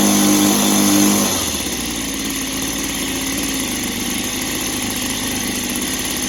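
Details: Echo PB265 ESLT two-stroke backpack blower after new crank bearings, started on choke: settles into a steady, even buzzing idle with no rattle or bearing noise, much quieter than before; carb may still need cleaning; normal idle.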